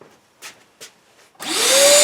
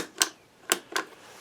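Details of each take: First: Shop vac that would not turn on, after replacing its blown motor thermal fuse and soldering the wires: a few clicks, then motor whines up to a steady high pitch, holds, and coasts down smoothly; motor runs normally. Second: Shop vac that will not turn on, plugged in: three crisp switch clicks in a quiet room but no motor spin-up at all; switch clicking so not suspected, motor thermal fuse found blown.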